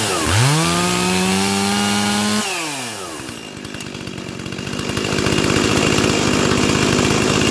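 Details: Stihl 036 chainsaw rescued from junkyard, fitted with MS360 clutch and 20-inch bar, carburetor already tuned; fires and revs to a steady high scream, then drops to a clean even idle; normal running.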